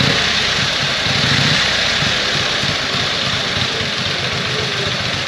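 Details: 1914 Harley-Davidson started with one kick: loud, steady chuffing at a few beats a second that keeps going without stumbling; the old engine runs healthily.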